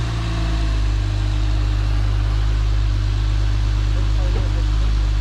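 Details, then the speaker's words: Acura TL V6 just started after installing RL cams and P2R runners and spacer: steady, even idle with smooth low hum, no ticking or tapping; sounds quiet and healthy, idle may need relearning. "yeah it's always part brand new so we'll see kind of quiet i think he's like not even ticking or anything"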